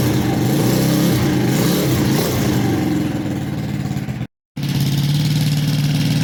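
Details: Custom Icebear Maddog scooter with 171 big bore kit, upgraded clutch/variator and custom Coffman exhaust, first run after long sitting, starting fluid used; fires but flat and hesitant on throttle, won't rev properly, owner blames missing air filter.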